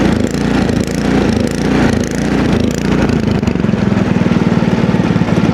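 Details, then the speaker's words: Ariens Deluxe two-stage snowblower with an LCT engine of roughly 254cc, freshly started with prime and choke at about 20°F, surges, rising and sagging unevenly about every half second before faltering or stalling; typically a lean fuel condition inside the carburetor. "so, anyway, when an engine surges like that, typically the problem is, well, let's start with this. It's a fuel problem. It's running lean somehow."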